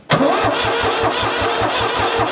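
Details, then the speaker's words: New Holland L783 skid steer, hard start, starter fluid sprayed into intake past filter: starter churns about six even beats a second but engine never catches, which fits air in the fuel system. "She's trying. I don't necessarily like that noise it made though, so we'll see."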